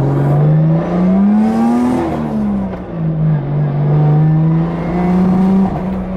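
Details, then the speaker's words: Nissan 240 with 1JZ, MAF reference 5 volts robbed from coolant temp sensor circuit (no coolant sensor fitted), on a drive: note climbs and falls unevenly, stumbling under boost; still breaking up, wiring harness suspected. "Breaks up still. Yeah, I don't know what's up with this thing."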